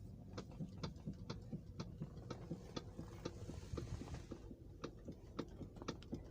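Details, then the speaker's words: Toyota Alphard stationary with the steering wheel turned left and right: sharp, uneven clicks and clunks about three a second over a low idle hum; steering clunk, common on Alphards and also heard on rough roads; cause not confirmed. "jadi banyak sekali pengguna Toyota Alphard maupun file-file mengeluhkan ketika jalan rusak yaitu bunyi klub-klub gitu bahkan di tempat pun terasa bunyi Club"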